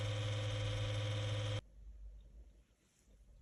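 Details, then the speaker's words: Lenovo V155 laptop cooling fan still drones loudly with a steady whir and low hum after dust cleaning and thermal paste replacement; worn cooler must be replaced. "К сожалению, чудес не бывает. Он всё равно шумит, так что стопроцентно придётся менять"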